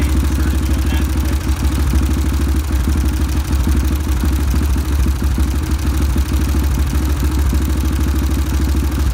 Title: Ticking noise